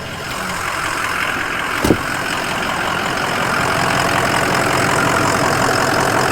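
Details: 2005 Ford Excursion Limited 6.0L Powerstroke diesel 4WD, upgraded turbo and injectors, EGR delete, rebuilt transmission at 100k, heard under the hood: steady even idle clatter, no knocks or misses, no blow-by, no smoke; healthy.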